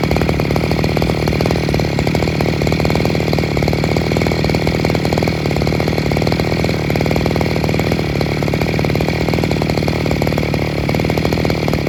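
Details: Second-hand Robin NB411 two-stroke brush cutter with a diaphragm-pump carburetor and the original clutch housing, fully rechecked on original parts: a steady, even buzz at constant speed with no misses, surging or knocks. It is running healthy.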